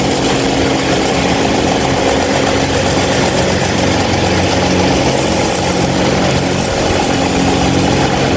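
Loud, even rushing roar with a steady low hum underneath and no ticking or rattle; the fan runs far louder than it should, cause unclear.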